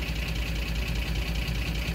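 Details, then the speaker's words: Ford F-150 with 5.4 3V engine, idling, mechanical gauge at the oil pressure switch port: steady deep idle with dull mechanical clatter; about 10 psi oil pressure, below the 25 psi the VCT needs. "you can see I have about 10 pounds of oil pressure it takes 25 psi for the VCT to work"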